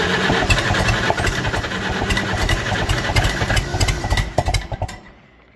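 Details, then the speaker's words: Non-running auction Farmall H tractor, first start after pulling off trailer with freshly charged battery: uneven popping and sputtering with no steady beat, catches roughly but won't settle, fades after five seconds; old fuel, leaking fuel, owner thinks choke needs adjusting. "we're getting something. Might have to play with the choke a little bit here, though."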